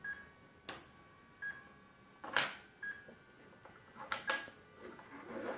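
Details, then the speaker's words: Second of two RC car speed controllers, both wired to one battery through a fork, switched on. A short series of clean high beeps among handling clicks: its normal power-on melody, and both units are working. "both now are working and we heard the second melody"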